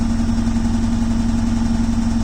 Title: beko wtk new rattling noises....